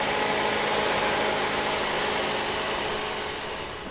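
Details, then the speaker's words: Chrysler 200 towed in from another shop with throttle and check engine lights, codes P2172/P2173 high airflow vacuum leak: idling very high, steady, with a faint hiss of air over the hum, pointing to a vacuum leak. "also this car is idling very high okay let's go outside and take a look um under the hood man let's see what is going on"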